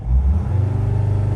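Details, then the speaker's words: 2006 Dodge Sprinter diesel in limp mode, crankshaft position sensor fault blamed, parked: deep steady pulsing rumble at raised revs that sit flat and capped. Revved to about 3000 afterwards; it would not restart once shut off. "So right now, the limp mode is just real apparent. That did not help anything."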